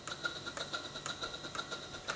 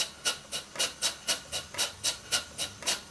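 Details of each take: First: Stuart Twin Victoria model steam engine, two double-acting cylinders, four beats per revolution, on air during valve timing setting: quiet sharp chuffs about five a second, slightly uneven; eccentric still needs adjustment. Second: Stuart Twin Victoria twin-cylinder model steam engine after valve timing adjusted: crisp even puffs nearly four a second, no stumbles; running much better, only a very slight tight spot remains.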